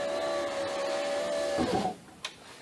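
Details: 2004 Honda Accord coupe driver's power window after replacing window regulator and motor; smooth steady motor hum without grinding or chatter, stopping cleanly with a soft thud; window works properly.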